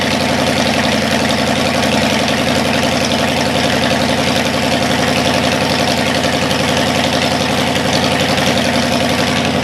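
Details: Cadillac 390 V8 after sitting 8 years, cold, untuned: even, steady idle a touch fast, no knocks or misfires. Carburetor leaking less, water pump leaking. Normal cold fast idle.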